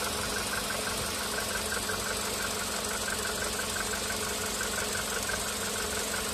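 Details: VW Polo Sedan CFNA engine, firmware 9970, during warm-up idle; light regular tick about three times a second, piston knock appearing around fifth minute of warm-up (earlier, second minute, on firmware 8252), weaker before.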